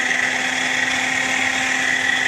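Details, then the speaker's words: 2003 Honda Rincon 650 4x4 radiator fan switched on via a newly installed override toggle switch with a 30 amp fuse. Steady, even whir at a constant high pitch with no rattle or scrape: normal radiator fan operation. "I thought maybe was having some problems with my fan but I'm going to go over and kick it and it'll just spin around that's it get on my toggle switch comes on"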